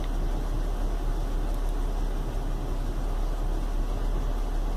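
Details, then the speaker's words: Chevy Venture, warmed up 4–5 minutes on a cool day, no check engine light: deep uneven rumble at idle, never smooth, no thunk when shifting into gear; rough idle caused by failed hydraulic engine mount, fixed by replacing it. "no check engine lights or malfunction indicator lights on but you can probably hear it's got a kind of a rumble to it it's definitely not running too smooth"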